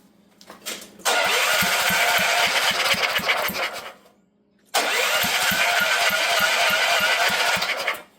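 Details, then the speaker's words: Previously seized auction generator with a water-filled fuel tank, plug refitted and fuel dripped down the intake: two bursts of rapid electric cranking, about three pulses a second, with a brief catch before it dies. Cranking with brief firing. "Well, it actually did run for a second there."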